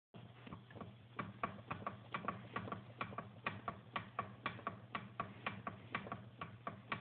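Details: Uneven light ticking knock, roughly one tick a second, over a low engine hum on an 800 E-TEC; owner suspects piston slap, unconfirmed.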